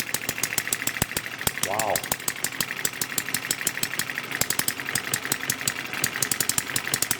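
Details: Kerzel model engine's first run, governor and spark saver disabled, ignition via TM6 module, started with a model starter on a 6-volt charger supply, engine clamped down: quick, fairly even popping firing pulses, catching and holding; normal running.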